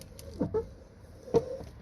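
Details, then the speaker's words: Chevy Suburban driver's door, lower hinge roller rusted and not spinning, door hard to open and close despite lubing: short sharp squeaks as the door swings; hinge shot, bushing broken and hanging out, needs replacement. "Alright, so the bottom line on this one, guys, is that the hinge is shot. Look right over here. You can see a little piece of the bushing hanging out."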